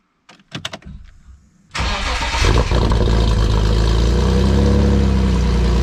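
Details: BMW E46 328i with an M52TU inline-six, first start after installing budget headers with the air pump blocked off and two stock resonators: a few clicks, then it settles into a smooth, even, deeper idle with no ticks or leaks. Sounds healthy.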